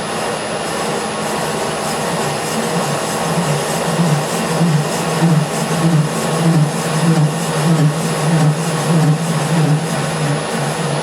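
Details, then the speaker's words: Colchester Master lathe turning steel tyre rings for 5-inch gauge LNER A3 locomotive wheels, taper turning attachment in use: low throbbing drone pulsing about 1.5 times a second; chatter from spindle speed too high. "I think I'm going to go down a speed. That's giving me quite a lot of chatter on there."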